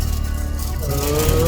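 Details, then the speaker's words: Huawei telecom rectifier cabinet, one rectifier module very loud with intermittent alarm; steady droning hum with whirring tone wavering in pitch, its cooling fan has a broken blade and needs replacing. "एक rectifier बहुत sound कर रहा है, ये आवाज़ आती होगी इसकी, बहुत ज़्यादा आवाज़ आ रही है इसमें से।"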